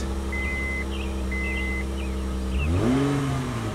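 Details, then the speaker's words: 2003 Honda Odyssey V6 after new spark plugs and misfire repair: even steady idle then clean smooth rev rise, no stumble or miss; normal idle and rev. "that v6 sound very nice all right I like it"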